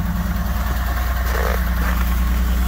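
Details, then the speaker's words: BMW E39, cold start after new clutch installation, starter solenoid had stuck: lumpy, uneven low beat and wavering rumble at idle, not settling smoothly; rough cold idle. "oh my god that sounds horrible [Music] oh it's running [Music] not sounding too good"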